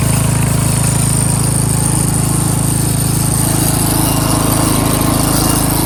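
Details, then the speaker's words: Craftsman 13.5HP 30-inch rear-engine riding mower after repairs, cutting grass: steady, even single-cylinder thrum at about 200 beats a minute, holding speed under load. Runs, drives and mows smoothly. "Albeit this thing does run, start, drive, and it does mow."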